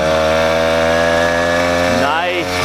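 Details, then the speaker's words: 80cc motorized bicycle two-stroke, with a smaller jet fitted, after the slipping clutch was tightened and fixed: steady, even buzz with no rattle or slip surge, then a clean rise in revs; quieter, normal running. "Started right up. Way quieter now that I fixed that clutch problem. That was definitely a problem with the clutch."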